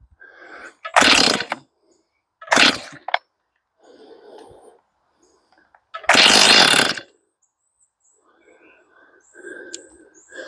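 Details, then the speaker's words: Stihl MS241 C chainsaw with computer-controlled carb, choke-only start, first fueled start with empty carb: catches in short one-second bursts, revving hard then dying each time; stalls after start, Seafoam planned through carb, cause unconfirmed. "What I'm going to do is I'm going to put a little seafoam in this. See if I can get some seafoam running through this carb. It's really close. You guys heard it running."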